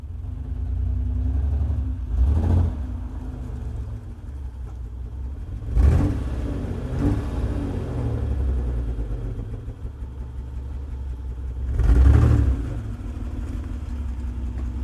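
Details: Base model 1995 Mitsubishi 3000GT, no check engine light, sometimes runs rough idling and driving: choppy fluttering exhaust burble at idle with several quick revs; misfire suspected, not confirmed.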